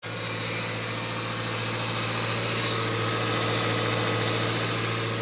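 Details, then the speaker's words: Subaru Forester with a failing Valeo A/C compressor at steady idle. Quieter at first, but once up to temperature it makes a loud whirring drone and hiss over the engine, audible from across a parking lot. "Now it's quieter than it has been, but once it gets up to temperature and runs a little while, you can hear that compressor from across the parking lot. It is extremely loud."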